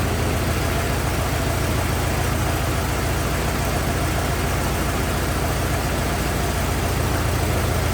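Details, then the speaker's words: 1927 Ford TT truck, on battery ignition, choked after restart; steady low-pitched idle about three pulses a second, no knocking or stumbling; oil leak, owner suspects loose hogshead inspection cover; good runner, normal idle. "good enough it's a good runer got no no complaints about any of that"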